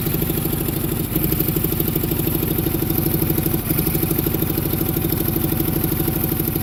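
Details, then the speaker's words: Onan generator, first start after sitting, with only a battery hooked up: an uneven, lumpy idle with a loping beat and exhaust chuffing. The far cylinder is not firing, and there is a major exhaust leak at the intake manifold needing gaskets. "the far cylinder is not firing"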